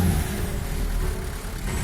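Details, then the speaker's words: Renault Megane 3 1.5 dCi 106 hp diesel, cold start in very low temperature, recorded in the engine bay: uneven clatter with a wavering beat that won't settle. A failing glow plug leaves one cylinder misfiring; the glow plugs are replaced. "Bien que le moteur démarre même à très basse température il le fait de façon non culturelle et sa phase initiale de travail ne plaît pas à l'oreille."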